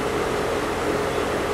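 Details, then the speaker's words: 2016 Rheem 5-ton central AC condenser fan running after motor replacement: steady, even airy whoosh with faint constant hum, no ticking, rubbing or wobble; wires clear of blades, quiet and balanced; successful repair. "I would call this a successful repair motors running it's quiet it seems balanced no weird noises or vibrations"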